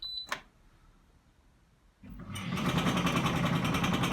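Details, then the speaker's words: Zanussi ZDE47100W vented tumble dryer on synthetics: after a click it starts with a fast, rhythmic rattle-squeak from around the back; rear drum bearing ruled out, roller underneath suspected; worn belt tensioner pulley, replaced along with the belt. "I'd say there's a roller underneath that might be doing it but at least I know it's not the bearing on the back"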